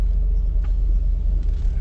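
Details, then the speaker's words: Chevrolet Silverado driving with replacement rear differential, stock gears of unknown ratio, after drum-to-rotor brake conversion: smooth low road rumble, no whine, clunk or grind from the rear; shift points a bit off but driving well. "the shift points are a bit off but overall it's driving pretty good"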